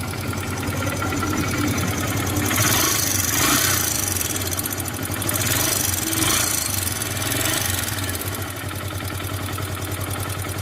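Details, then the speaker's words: Hero Super Splendor BS4 single-cylinder idle: fast light ticking about three or four a second over steady idle, from excessive tappet clearance; fixed only by tightening the tappet adjustment, no timing chain replaced. "सिर्फ हमने इसका tight कर दिया थोड़ी सी जुलुस था ज्यादा और उसके वजह से आवाज कर रहा था"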